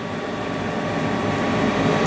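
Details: Furnace during home inspection: once burners light, a thin, very high steady whistle rides over the flame rumble, staying consistent while burning.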